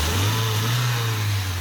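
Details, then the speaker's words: Car brought in for missing, horrible noises and no power now idles with a steady, even low hum, no missing—absolutely perfect on arrival; engine light later on, possible slight vacuum leak. "Now, they couldn't get it down to us straight away, and the time they did get it down to us, as you can hear now, it's absolutely perfect."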